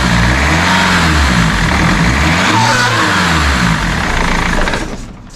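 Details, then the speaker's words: BMW E46 320d with a split turbo intake pipe patched with glue and silicone repair tape: the diesel revs with a rough, flatulent rasp once boost builds, the pipe flexing and leaking again; the repair failed and a new pipe is needed. "as soon as the boost kicks in it's too much pressure the pipe gives um too much flex and therefore it creates another vacuum leak and sounds like a fart"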